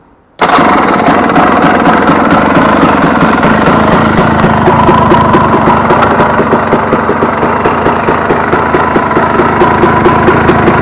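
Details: Warm KTM 250 EXC two-stroke on 40 pilot jet, idle lifted slightly: loud ragged idle with popping that runs away and hangs high; owner says it's too lean, still has pipe bang on overrun.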